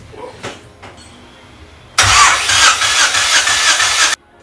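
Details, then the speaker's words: Slow, dragging crank of about two seconds on a Honda Civic EK with a D16A engine, jump-started from another car's battery; it cuts off without catching. A bad battery is suspected, not confirmed. "thing that i immediately noticed that's different to my car is it sounds so slow my car is like of course it fires but even when it does that it's like it sounds like like yours is like it just sounds so slow"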